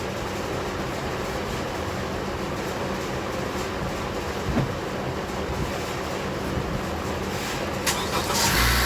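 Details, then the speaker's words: Honda CR-V started after battery work: engine catches and settles into a smooth, even run with no slow or labouring crank; starting system working properly. "That's a night and day difference right there."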